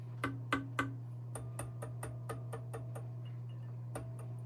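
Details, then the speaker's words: Rock-Ola Tru-Tone Model 0 tube amplifier, chassis tapped after swapping in a replacement tube, warmed up, music muted: sharp taps die instantly over low mains hum, no ringing; replacement tube not microphonic. "You're not hearing it kind of ringing or introducing anything, but So that one actually does sound pretty good too."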